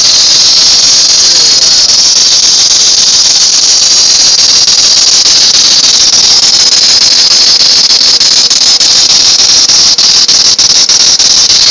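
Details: 1999 Town & Country van: loud steady high-pitched squeal from the belt area drowns out the engine. Belt replaced about four times; water pump, alternator, idler and tensioner pulleys replaced; source unknown, owner doubts the crank pulley or power steering pump.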